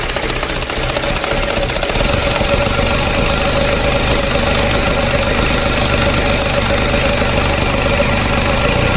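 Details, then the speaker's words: Mitsubishi Canter diesel engine re-overhauled after only 5 months (oil burning, blow-by, cracked piston), first start after reassembly, cold: steady, even diesel idle clatter with no misses, hunting or heavy knocks, running smoothly and oily at first start; normal idle. "kita coba dulu starter kita hidupkan pilih stress test lagi nunggu oleh mesinnya alhamdulillah lancar berminyak ya untuk awal hidupnya seperti ini"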